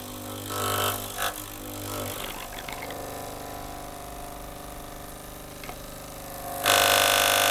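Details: Gaggia Cubika espresso machine heats up and its pump runs with a steady low buzz that keeps straining, but no water or steam comes out; water passes only when forced through by syringe while priming, suggesting a blockage.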